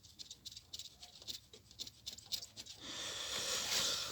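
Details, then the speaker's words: Chery Amulet: dry shuffling noise while driving traced to a large thin bearing with big play; spun by hand it ticks and rattles about four times a second, then rough hiss. "подшипник утону меня потом при совет на этой мукти рассыпался тут немножко слышно это же суда"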